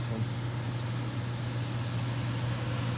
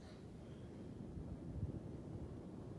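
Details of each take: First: Furnace on top floor of a new-construction house, recently started humming: steady low drone with no rhythm as return grille louvers buzz like a reed in the airflow; reed effect suspected. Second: Furnace return air grille after a reed-effect noise fix (grille louvers carefully opened up): only a soft, low, even whoosh of air with no buzzing or reedy tone. The return is now quiet.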